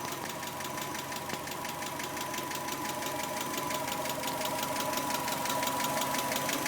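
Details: 1991 Subaru Legacy SS: crisp regular tick about three per second over a smooth idle, seeming to come from the driver side; owner suspects a hydraulic lash adjuster (valvetrain), unconfirmed.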